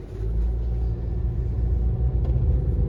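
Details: 2018 Honda CR-V, loud humming since new, most noticeable 25–50 mph; steady low droning hum under road rumble while cruising, absent with front wheels lifted; owner suspects hub assembly or tires, cause unconfirmed.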